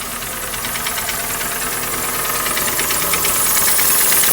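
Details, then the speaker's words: 2012 Hyundai ix35, G4NA engine, 127,000 km, check-engine light on, burning oil: hard diesel-like clatter at idle, about three harsh metallic knocks a second; heavy engine knock, cause unknown before engine removal and teardown. "Ну, думаю, прекрасно слышно, что стучит сильно."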